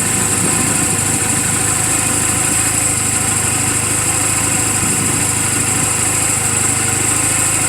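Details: 2007 Honda Rebel 250 idling in neutral just after an oil change and valve clearance adjustment; even, quick putter about three beats a second, no clatter or hunting. Owner says it runs perfectly; normal idle.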